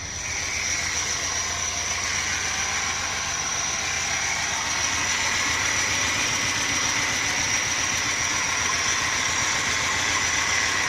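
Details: Nissan NP200 running with a loud, constant high-pitched whine and hiss over the idle, persisting after one pulley in the belt system was replaced; the source is unknown.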